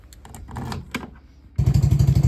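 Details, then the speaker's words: Mini Jeep 125 after fitting a new NIBBI racing carburetor for stalling, running with no choke and cold; settles into an even putt of about twelve beats a second with no stumble or stalling at idle. Normal idle. "so we finally think we got it fixed as you can hear here this is no choke anymore this new carburetor and even in the idle there is no stalling even when cold"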